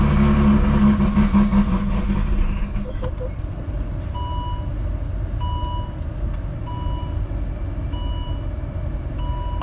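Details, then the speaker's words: Volvo S60 T6 stage 3 build after turbo and ported exhaust manifold install: engine catches, revs to just over 1000 rpm, then stumbles and dies, leaving a thin whistle; rough idle and stall on second start, cause unconfirmed. "when it started revving up like you know just a little over a thousand rpm it's [Music] just kind of shut off the second time"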